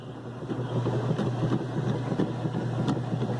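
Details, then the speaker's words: Whirlpool direct-drive washer 7MLSQ8545PT0 after repair of a motor that hummed and would not start: new motor and capacitor, red and orange wires spliced; steady low drone under sloshing, no growl; running normally, though the repairer suspects the agitator dogs may be wearing. "bueno esta lavadora ya funcionó perfectamente sin ningún problema"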